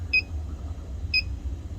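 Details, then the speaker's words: R-290 cooler that was not working: leak detector gives two short, sharp high beeps over a low hum while probing down low on the evaporator, nothing up top; refrigerant leak located in the evaporator. "We're picking it up down here. So nothing up top."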